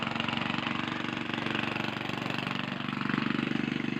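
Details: Gasoline engine: even, steady putter at about four beats a second with no misfire, surge or knock; engine running cleanly.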